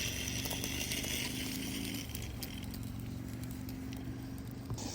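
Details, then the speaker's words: Accucraft Ruby live steam locomotive starting off on gentle throttle, backing to pick up cars, water spitting from the smokestack: uneven soft chuffing over steady burner hiss, labouring. "Struggling a little bit, and it will. The water coming out of the smokestack isn't going to hurt it either."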